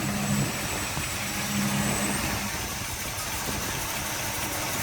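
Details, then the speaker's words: 1979 Dodge D150 small-block Mopar, Edelbrock VRS 650 carb, in gear with old PCV valve, vacuum advance unplugged: idle wavers, stumbles, nearly dies, vacuum wild; vacuum leak at faulty PCV valve. "I drop it in gear and the the thing starts jumping and hopping and bucking and all that stuff. The vacuum goes wild."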